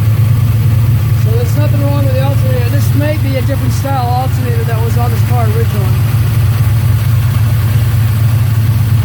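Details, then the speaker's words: 1972 Chevelle Malibu V8 revived after years sitting, new water pump, alternator, battery and cables, cold fall day, warming up: steady even low rumble, no knocks or misses; runs smooth but carburetor needs more adjustment; charging 14.5 V. "carburetor needs a little more adjustment it needs it probably needs a powerball really smooth"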